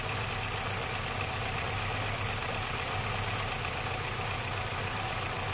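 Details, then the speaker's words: Homemade small tractor with a Škoda 1202 engine, first run after converting from a twin-choke to a single-choke carburettor: steady even idle with no misses or knocks and a faint constant hiss; normal idle. "Jede to přátelé To je bomba ono to bude fungovat Já mám radost"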